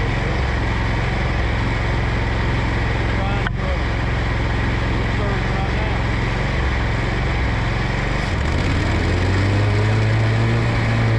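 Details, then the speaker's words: Scag mower engine surging badly under load while cutting: pitch drones, then swings up and down instead of holding steady. Clutch, electrical parts and gas tank straw already replaced; the cause is still unknown. "okay, y'all, so this mower surging off the muscle, man. It's surging bad too, man."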